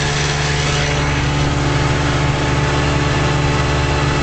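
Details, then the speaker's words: 1956 Johnson Javelin RJE-18 30HP two-stroke outboard on 14ft Viking runabout, under way at constant speed with motor tilted all the way out: steady even drone, no skips, knocks or rattles; running healthy. "seems to run real good with the motor tilted all the way out."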